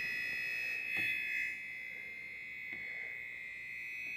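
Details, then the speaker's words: TI-99/4A console scanned with a signal tracer pickup (emitter unused) picking up electrical noise: steady high buzzing tone with faint crackles over the ROM chip, the noisiest spot on the board. "it's funny that Chip's the worst eh now I'm going to leave it there cuz it's pretty noisy"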